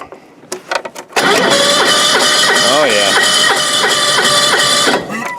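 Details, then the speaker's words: John Deere 185 lawn tractor after two years sitting, fresh battery, oil checked: starter churns about three turns a second for four seconds with no firing; two-year-old gas, gum and varnish in the carburetor, no-start. "it's got gas but that gas is probably two years old at this point so whether it'll fire who knows let's go ahead and take the air cleaner off and give her a little spray and see what happens well I gave her a little carb spray there was definitely some gum and varnish in there so let's see if it fires"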